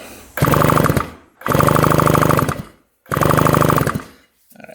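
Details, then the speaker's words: 1975 Yamaha RD200 two-stroke, barn-stored 20+ years, air box cleaned of mouse nest: three short one-second bursts of even cranking pulses, never fires; zero spark on either plug, ignition fault, no start. "no spark on that one that's not good that is not good a spark on this one absolutely zero Spark"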